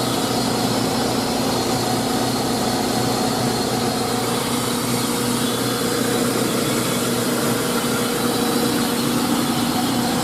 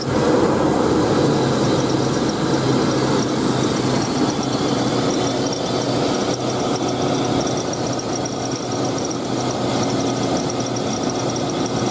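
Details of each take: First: 2000 GMC Sonoma 2.2L I4 after new belt and tensioner (previously squeaking, especially with AC on): steady even idle, smooth low hum, no squeal or chirp; normal idle, owner hears slight tapping possibly from timing chain. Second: 2000 GMC Sonoma 2.2L I4 at idle before belt and tensioner replacement: a constant high, thin squeal holding its pitch throughout; worn slipping serpentine belt and tensioner.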